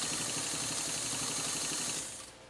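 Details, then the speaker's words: Pfaff 230 sewing machine stitching a single layer of fabric: smooth, even mechanical chatter at a steady pace that stops cleanly, with no knocks or binding; it runs healthy. "that run so smooth isn't that that's just wow fantastic super"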